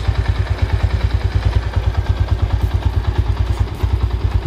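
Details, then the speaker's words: Yamaha SZ single-cylinder idling after air-injection system (EIS) disabled on intake and exhaust to fix backfire: steady even low thump about three beats a second, no exhaust pops; running clean. "So kahit tinanggal natin walang [Musika] problema so wala ng backfire"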